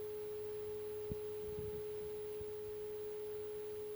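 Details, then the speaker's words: NAD Model 300 built around 1975 to 1979, during amplifier alignment: a clean, steady 400 Hz test tone with no hum or crackle while setting the signal level. Left and right are both about right, left slightly too high, and left as is. "i can change between left and right they are both about right left is a little bit too high"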